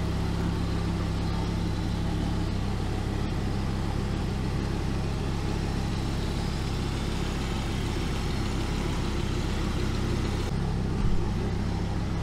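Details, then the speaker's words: 2006 Dodge Viper SRT-10 coupe V10, first start after tune-up (oil, fluids, plugs, belt, thermostat, coolant, cleaned throttle body), coolant cap off to bleed air: deep even idle rumble with no misses, ticks or knocks, running healthy. "all right so there you have it first start since we did our tune up and everything seems to run awesome"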